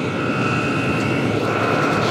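Steady, even combustion roar with a constant fan whine and no sputter or surging; heater burning cleanly at full output.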